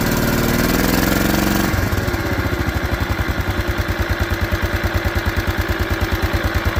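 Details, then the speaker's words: Case garden tractor engine on choke with broken carburetor awaiting replacement, running on old gas mixed with fresh: churning crank, catches, then lumpy uneven idle; later stalls, and the fuel pump cuts off with it. "running with a broke carburetor and all."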